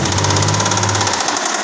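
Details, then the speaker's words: Engine hammering hard with rapid, sharp knocking, a dozen or more taps a second, while attempting a burnout; strong raw gas smell from the motor; rod knock suspected, not confirmed. "this thing is hammering hard let's see if she'll do a [Music] burnout"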